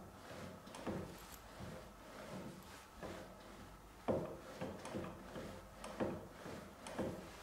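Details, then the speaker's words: Harrison 140 lathe with ATF in the gearbox, clutch moved by hand: irregular hollow clunks about every two seconds; something loose, cause not yet found. "but i got hold of the clutch and moved it and i heard a clunking noise can you hear that"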